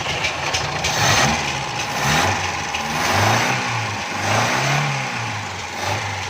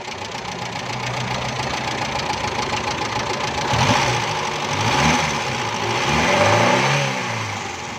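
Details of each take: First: Carbureted petrol car after replacing a hardened, pinholed fuel hose that let air in and caused misfiring and jerking: engine idles and revs cleanly with no stumble, miss or surging; normal running. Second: Carbureted petrol car, customer complaint of missing and jerking: uneven stumbling idle with irregular dips and surges; fuel pressure not right, suspected air leak into the fuel hose or a pump problem causing the misfire.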